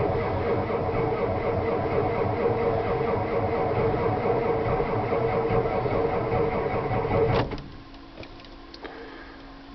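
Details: 1992 7.2 IDI diesel truck, glow plugs already cycled, same when warm: labored, uneven cranking drags and surges for seven seconds without catching. Owner blames the starter, not batteries or wiring. Failing starter motor.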